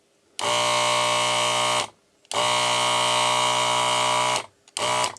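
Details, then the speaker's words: ZD-915 desoldering station after fan replacement and mods, desoldering large resistors. Three bursts of steady pump buzz start and stop cleanly at an even pitch; suction is faster acting and more stable, normal desoldering pump suction. "let's see if we can actually desolder something maybe we can desolder these large resistors here yeah and the suction is a lot more stable"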